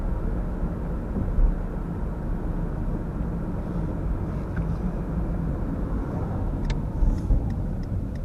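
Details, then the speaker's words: 2004 PT Cruiser at about 40 mph (65 km/h), where it's most pronounced: low choppy wub-wub drone under road rumble like a distant helicopter, felt more when braking into corners; worn front wheel bearing, later replaced. Wheel bearing noise. "okay so this is not about 40 miles per hour right now 65 kilometers an hour and that seems to be a speed where it's really pronounced you just hear that choppy sound it's almost like a helicopter in the distance"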